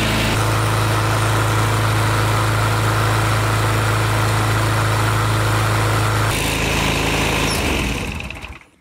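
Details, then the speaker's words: Craftsman mower with a Briggs & Stratton 5hp L-head engine, after an oil filter, new spark plug and crankcase breather tube reroute to stop oil fouling the air filter. Even, steady single-cylinder drone at constant pitch until shut off; running smoothly. "at least he won't be clogging up that air filter anymore and you guys can hear that this thing runs just fine"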